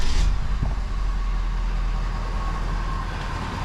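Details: 2021 Ford F250 6.7 Powerstroke diesel, first start after replacing both fuel filters and priming: deep, steady diesel rumble settling into an even idle with no misses, knocks or hunting; normal diesel idle.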